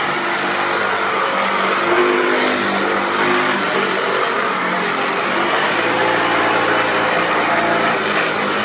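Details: 1994 Hoover Turbopower 2 Autosense U2462 upright vacuum, tested with a belt borrowed from another machine: steady high motor whir with a coarse, rumbling grind that doesn't smooth out; brush roll runs rough, cause suspected, not confirmed.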